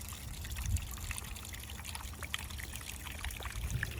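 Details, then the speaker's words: Leak in the irrigation poly pipe on a potato field: quiet, continuous hiss and trickle of water under faint outdoor noise; minor leak, not too bad. "noise you heard in the background was got a leak right here in the poly pipe on the potatoes. But I'm not too worried about it. It's not too bad."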